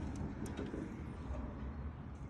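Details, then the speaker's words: Liftmaster LA400 gate opener retracting the gate while setting open/closed positions, deliberately slow in this mode; slow even motor drone with low rumble, no knocks or grinding; normal operation. "I'll hit this button and we'll see that it's retracting or opening the gate this is actually kind of slow because it's just designed one on this on the we're setting the opening the closed positions it's actually slow on purpose"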